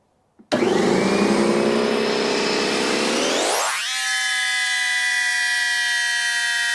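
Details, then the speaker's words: DeWalt C55146 Type 9 air compressor (15 A, rated to 225 PSI) that would not shut off when built up to pressure; after repair it bursts roughly at switch-on, then hums smoothly and evenly: running normally. "turned it off because it doesn't seem like it's wanting to turn off"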